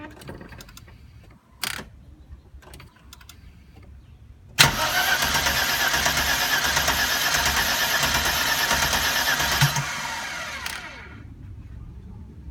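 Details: 1992 Mercedes 300E 2.6 with the M103 engine that won't start, second attempt made with the accelerator pressed: about five seconds of steady, even cranking that never catches, then winds down; cranks but won't fire.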